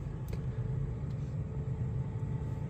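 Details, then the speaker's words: BMW i5 (new 5 Series) electric rolling in default Expressive mode: low steady droning hum like a bad wheel hub bearing, actually the synthetic drive sound, normal; switching to Efficient mode removes it. "I still hate it because of, you see, when I start the car, it automatically goes into expressive mode, which makes a weird sound, and I don't understand this as opposed to this."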